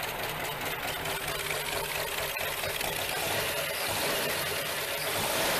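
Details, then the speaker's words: Classic Lincoln Continental barn find, cold start after sitting with a fuel issue, started after hooking up wires and pouring gas down the carb; even, settled idle with steady exhaust note, running cleanly. "what sounds nice too God that sounds nice hasn't ran in a while"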